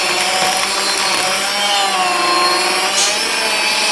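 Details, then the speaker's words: Stock Aldi Ambiano cordless hand mixer, uncooled motor, on speed two: strained high whine wavers and sags as beaters push through dough; motor bogging down under heavy load, little torque, feared to burn out at speed three. "it right it's speed two you can hear it's really bogging it [Music] down [Applause] now gred it does have some torque but it's not a [Music] lot"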